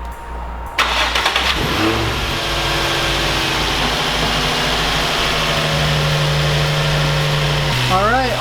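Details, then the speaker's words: Nissan 350Z (VQ DE) after replacing belt idler pulleys and retensioning belts: engine fires after a short crank and runs smooth and even with no squeal or chirp from the belts. "the guys can hear that it sounds a lot better I don't know if you can tell any difference in the camera or not but it does actually sound a lot better"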